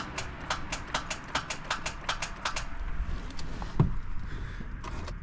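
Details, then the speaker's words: 2005 Honda Odyssey failing to start: quick, sharp clicks about four a second from the starter solenoid trying to engage, with no cranking or catching; failed starter, later replaced. "that clicking noise is the starter solenoid on it trying to engage"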